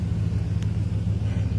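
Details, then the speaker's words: 2001 Dodge Dakota quad cab AWD, 151,291 miles, restarted after fitting a new size 27 Walmart Everlast battery in place of the failed Interstate one; it started very quickly, then settled into a steady low rumble with an even pulse and no knocks or misses; normal idle. "So, you hear how quick that started? That's quick. Wow. I don't think I've ever started that fast in a long time. But this thing's in top tune."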